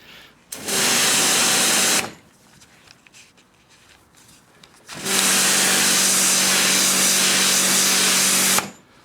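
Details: AVA Evolution P80 pressure washer on its first run after full service and new pump install; two smooth, steady bursts of motor-and-pump hiss starting and stopping cleanly, no knocking or surging, normal running.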